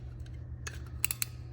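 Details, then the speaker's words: 2023 Kenworth W900L fuel pump relay tested while chasing a no-fuel fault: a single crisp click over a low steady hum as it is plugged in; the relay pulls in cleanly and works. "hear that click relay works so this one's good to go"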